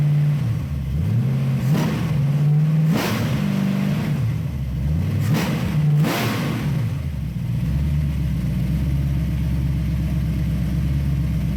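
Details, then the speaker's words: Ford 302 V8 with Lunati Voodoo flat-tappet cam on a stand, headers and Cherry Bomb Vortex mufflers, after replacing a bad lifter with faulty metering plate: four clean revs settling to steady idle; lifter tick gone. "i hope that sounds as good to you guys as it does to me because uh as you all know we have chased a few gremlins on this engine and but it really sounds good"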